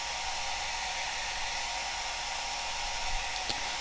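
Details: Cascade DS-925 hair dryer after the no-heat fault is repaired by crimping a connection: a steady, even rush of air with a faint constant tone and no rattle or surging. It runs normally and the air temperature rises again.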